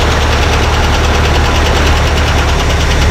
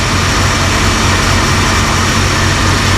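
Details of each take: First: 1978 Dodge Ramcharger V8, just started after 3–4 weeks sitting following a water pump job: a heavy, steady idle with a faint quick tick on top; owner suspects a bled-down lifter, unconfirmed. Ticking at idle. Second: 1978 Dodge Ramcharger V8, running again after a water pump job, with 60 psi oil pressure: a steady, even idle where the earlier tick, believed to be a bled-down lifter, has gone away. Normal idle.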